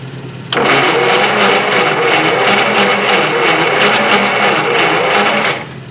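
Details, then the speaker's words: 1952 Willys pickup flathead-based engine on a 6-volt system, sitting since 1991, spark plugs out for a compression test: starter spins quick and even for about five seconds with hardly any compression pulses; one cylinder read about 3 psi. "that's got good compression i don't know why this thing doesn't run it might have something to do with the lack of compression"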